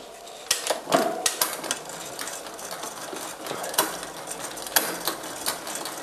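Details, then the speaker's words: Bicycle (MTB/road) rear derailleur out of adjustment: shifting to third sprocket from bottom, irregular metallic clicks and rattles as chain jumps wildly between sprockets instead of holding gear; misadjusted derailleur chatter. "hier man hört schon es klappert und schaltet wild hin und her eigentlich wollte ich jetzt auf dem dritten Ritzel von unten sein aber es springt einfach wie wild"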